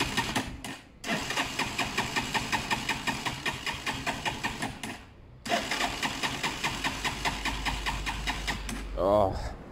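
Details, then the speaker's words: Zontes 125 motorcycle with contaminated fuel in filter, tried on choke; pops unevenly at idle, dips and nearly dies twice; tank needs a full flush and fuel dumped, fuel starvation. "basically the tape needs a full flush that means I've got dumped the whole tank of fuel which is such a shame"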